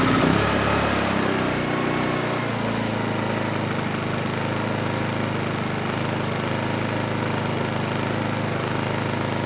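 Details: Honeywell HW2000i 2000 W inverter generator, about 20 years old: steady even hum at constant speed under load, no hunting or surging; oscilloscope sine wave smooths out under load.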